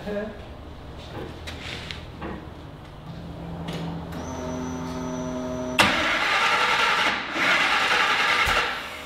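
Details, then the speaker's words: Griz, a wrecker: the starter cranks steadily near four turns a second, with coughs and pops like backfiring, but never starts. The cause was coils wired in the wrong firing order. "not sure what's going on here like the yeah sound like it was trying to backfire"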